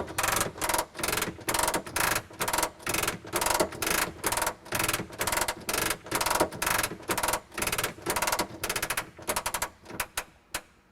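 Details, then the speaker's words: Messerschmitt Bf-108 under restoration, hand crank turning gears, pins, shaft and worm gear: steady ratcheting clicks about twice a second, even and smooth until the landing gear seats fully up; manual retraction working normally. "So you hear that clicking sound, and that is just the gear system working, and the gear just comes up."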